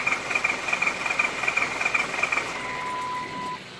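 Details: Ford 6.0 Powerstroke diesel, 112,000 miles, shut down on the highway; fuel pump already replaced. Even starter chatter, cranks but won't fire. IPR at 85% while cranking, ICP 400 psi, FICM good; HPOP suspected.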